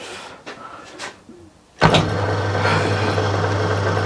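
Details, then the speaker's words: Plugged-in motor run after refitting the belt and clearing loose items to stop a rattle. Quiet, then it starts and settles into a smooth, steady low hum: rattle gone, running properly quiet. "yes that is it rattle gone excellent that's proper quiet oh brilliant"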